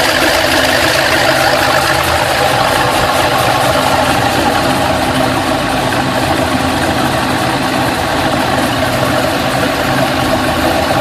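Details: LS2 Pontiac GTO after a head, cam and intake swap: a fast, light top-end ticking runs through a rough, steady V8 idle; cause not yet pinned down.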